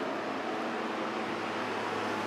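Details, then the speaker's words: 1986 Honda Goldwing Aspencade bobber build, key turned on, engine off: steady even whooshing airflow, no ticking, scraping or wobble; cooling fan working normally. "me turn the key on here maybe what's going on fan works as you can hear"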